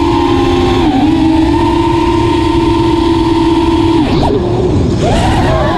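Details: Armattan Rooster quadcopter after vibration fix: clean, steady motor whine rising and dipping smoothly with throttle, no rattle or buzz; no more strong vibrations above mid throttle, motors sound normal.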